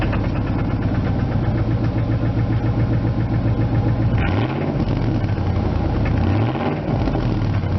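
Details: 1999 Ford F250 Light Duty, 5.4 Triton V8, heard from the exhaust at the rear: start to a lumpy idle and two quick throttle blips, with a light rapping under the exhaust note; owner suspects an engine knock.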